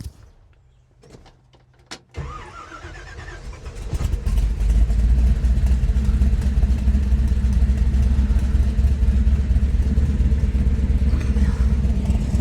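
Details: 1957 Chevy Bel Air with 454 big block from a motorhome replacing a blown 396, old 396 racing cam, new intake and distributor, first run after swap: brief crank, fires and settles into strong even low rumble, no tapping or misfire; normal start and idle.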